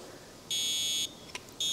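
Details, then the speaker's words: First Alert smoke detector reassembled after teardown: two thin, high-pitched half-second beeps with a gap between them, much quieter than normal. Owner concludes the sounder has gone bad; not confirmed. "but it's not very loud. That means this thing went bad."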